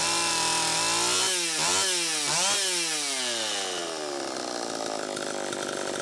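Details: Homelite Super EZ chainsaw after the carburetor was fixed and the high needle reset from about four turns out to one; high scream surges and sags twice, settling to a hollow fizzy run, tuning changing as it warmed, lean. Flywheel-side crank seal leak suspected.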